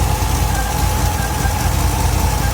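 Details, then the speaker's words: 1964 Buick LeSabre V8 idling cold with the thermostat not yet open, new one-wire alternator charging 13.1 V: rough idle with exhaust-leak chuff and a steady whir. The owner suspects the water pump bearing, an air leak or the torque converter; coolant is dripping. "I don't know what that whirring noise is. Water pump bearing? I don't know."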